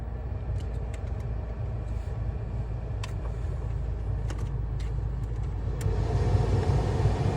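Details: Jeep Compass after replacing the HVAC blend door actuator (old one had a cracked gear with missing teeth) behind the dash: steady low climate-system rumble with no knocking, ticking or clicking; normal blower operation.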